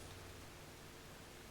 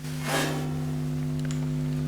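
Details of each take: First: Marshall JTM45 valve amp: its constant hum came from the output transformer being mounted too close to the mains transformer. After rotating the output transformer 90°, only a faint, even hiss remains, with the hum cured. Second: Marshall JTM45 amp with its output transformer mounted close to the mains transformer. A constant low mains hum of fixed pitch, unaffected by the standby switch, the volume controls or whether the valves are fitted: the output transformer is picking up hum from the mains transformer.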